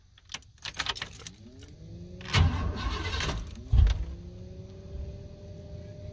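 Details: 1988-1998 Chevrolet C1500 V8 pickup with 246,000 miles on the original cap and rotor, after fixing a crank-no-start that began following rain and humidity: cranks with stumbling catches, fires and settles into a steady run; slow to start because the engine was flooded.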